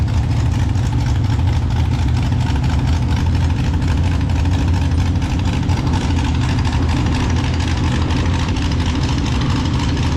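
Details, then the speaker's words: Mini rod pulling tractor at a blacktop pull: loud, deep engine at steady speed with an uneven, stumbling beat as firing pulses drop out; persistent misfire that several fixes failed to cure. "we just can't get it to run this year. And, that's very frustrating when you're chasing a miss."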